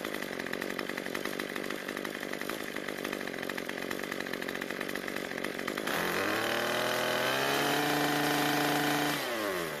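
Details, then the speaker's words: Cub Cadet two-stroke trimmer that died at idle, after turning the carburetor L screw about a quarter turn counterclockwise (was starved for fuel): steady buzzing idle, clean rev up and back down without stalling. "we got really lucky and we didn't need to adjust it that much"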